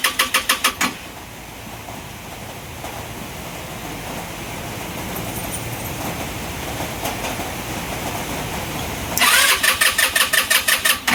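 Quick rhythmic starter chatter, a rough uneven stretch that never settles, then more rapid cranking: a bike that won't catch.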